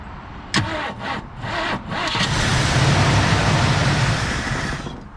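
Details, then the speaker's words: 1965 Mercury Montclair Breezeway, sitting 16 years: cranks, catches and runs about three seconds, then dies on its own; tank found empty, stall from fuel starvation. "all right she's probably out of gas all right y'all uh let's see i'm gonna bring it on over in here there she is she has no gas left"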